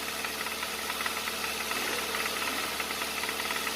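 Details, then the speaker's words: Hyundai Avante AD with GDI direct-injection engine, just started: sharp, fast "tta-tta-tta" ticking knock at about three to four per second over the idle, a known GDI fault attributed to pistons not fitting the cylinders; piston slap, engine to avoid. "만약에 여러분들이 차를 보러 가셨는데 두 번째 나온 영상처럼 따따따 소리가 심한 차량을 보셨다면 그 차는 거르시는 게 좋습니다."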